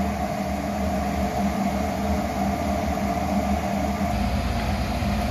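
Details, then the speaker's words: Garage furnace that only hummed loudly with the fan not kicking on, after its motor was reinstalled: a steady low hum with an even whoosh and no drone or rattle; the furnace runs smoothly, much better. "oh yeah it's a lot better there's a lot better"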